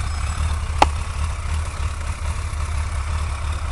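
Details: Suzuki GSX-R 1100 after fixing a leaking exhaust seal: a steady, even low idle rumble with the earlier ticking gone. The engine runs clean at normal idle.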